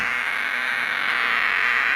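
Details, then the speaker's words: Homemade LM386 micro amplifier (about 1 W) on bench power supply raised from 5 V: constant hissy, warbling noise in upper mids with no signal; owner suspects supply ripple. Fixed by adding a 10 µF supply-line capacitor. "Ini ada noise, coba. Oke, saya coba pakai baterai ya. Mungkin ini karena power supply-nya nggak bagus, ada ripple atau gimana."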